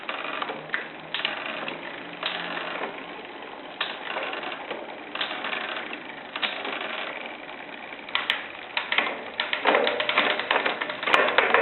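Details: Shimano Zee RD-M640 rear derailleur with the clutch on: dry, rasping creaks in irregular bursts while shifting; clutch creak, and if cleaning and regreasing fail a part needs replacing.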